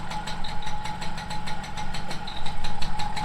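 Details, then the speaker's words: 1987 MBK 51 Magnum liquid-cooled two-stroke moped, 12,000 km, just started: at idle a light metallic rattle ticks about four times a second over a faint whistle, from clutch bearing balls starting to rub, common on Motobécane. "Voilà, il y a l'embrayage qui fait du bruit là, comme toutes les motomécanes. Hein. Ouais. Les billes qui commencent à frotter."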